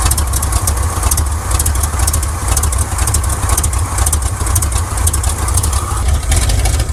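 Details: 1979 Chevrolet C10 Custom Deluxe whose engine keeps running worse, with the timing checked and found not to be the cause: a low, lumpy idle with an uneven beat and stumbles. It is misfiring, root cause not found; the owner suspects the spark plugs.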